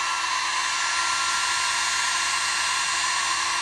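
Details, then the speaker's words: Sewing machine motor after brush wires swapped to reverse rotation, commutator cleaned and wires repaired, run at full speed: steady, even high-pitched whir with strong torque, no brush arcing or sparking. "see it probably jump out of my hand a little bit sounds good [Music] no arcing and sparking"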